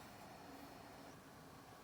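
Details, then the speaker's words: HP Omen 15 gaming laptop internal hard drive during Windows cloning to a Crucial MX500 1TB SSD, heard near the power button: faint, steady whir with soft hum, no clicking or scraping; drive spinning normally. "Voilà, et on laisse travailler tranquillement. Donc juste pour vous faire écouter le bruit du disque dur à l'intérieur."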